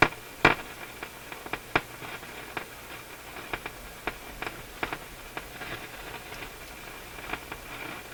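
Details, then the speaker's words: Nordmende console tube radio on FM, irregular sharp pops and crackles a couple per second over quiet audio; faulty dirty pushbutton switch, cleaner did not cure it. "Getting a lot of popping. Let's put on the external antenna. Oh, it's this crazy button,"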